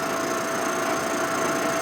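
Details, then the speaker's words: Machining a part for a 1946 Harley knucklehead motor rebuild: steady high-pitched cutting hiss with a faint even tone and no chatter, cutter barely touching the work before a slightly heavier pass. "I can hear it's barely touching at all a little heavier right there"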